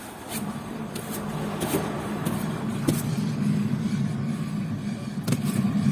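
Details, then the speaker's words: 2001 VW Golf GTI 2.0 20-valve naturally aspirated, rear wheel spun by hand: rough, low rumbling growl with uneven scraping pulses from a failed rear wheel bearing; the fix is replacing the complete hub. "Olha que barulho feio. Isso aí é o ronco do rolamento, o rolamento estourado."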